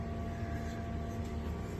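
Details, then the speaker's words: Diesel heater newly installed in a skoolie bus, just fired up after bleeding air from the system: steady low hum from the blower and combustion with no sputter or surging, warmth coming out. Normal running. "it's nice and toasty in here from the wood stove but this thing just fired up and that's a little bit of a relief that we can make some heat now and it's running and let it run for a minute"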